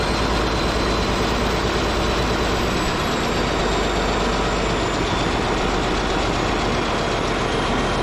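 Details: Caterpillar D8H bulldozer diesel running after sitting 15+ years: steady, even low rumble with no knocks or misses, holding a smooth idle; running good.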